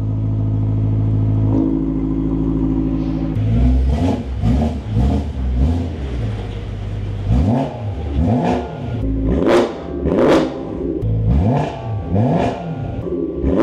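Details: 2008 BMW E92 M3 V8, first start after installing a new Turner valved stainless exhaust, short run pending a new coolant line: deep crisp blips climbing and dropping cleanly through repeated revs, no misfire or knock; healthy.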